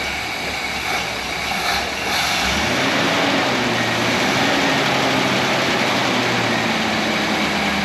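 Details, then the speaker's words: 1964 Rambler Ambassador 990 Cross Country Wagon after water pump replacement: slow, even idle with soft steady hum and no whine or chatter from the engine front; much quieter than the noisy old water pump, normal. "water pump was making a lot of noise you how much quieter that is now"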